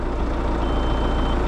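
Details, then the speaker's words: Merlo telehandler diesel idling with a single thin high beep from the boom position sensor, mislocated so a boom piece hit it; new sensor ordered. "It beeps when the piece of the boom was hitting it."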